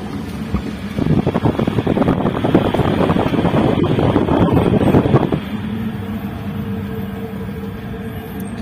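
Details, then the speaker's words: Old Toyota Avanza, complaint of a roar at high speed, driving at only 20 km/h: a steady, coarse rumble under a rough roar that eases off in neutral, from a worn propeller shaft centre bearing. "ya kalau untuk kenyataannya di sini untuk gemuruh atau suara kasarnya itu sangat jelas ya mungkin di video kurang begitu jelas padahal ini kecepatan hanya 20"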